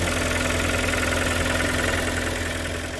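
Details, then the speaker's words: Kia Sportage 3 2.0 G4KD petrol, under 105,000 km, cold start before overhaul: busy idle with a quick, fairly regular tapping about three per second over the engine note, an internal engine knock. "Так, это сейчас холодный пуск. 105 тысяч даже нет. Веселый перестук. Все чистенько. Вот так он работает до ремонта."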